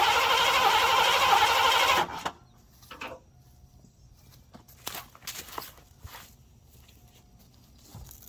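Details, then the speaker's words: 1987 Mercury Grand Marquis LS that sat almost a decade, suspected bad fuel pump relay with no pump heard: it catches on sprayed brake cleaner, runs hard about two seconds, then cuts dead; a fuel-delivery no-start. "Alright, so pretty sure we have a bad fuel pump relay. I'm not hearing the fuel pump."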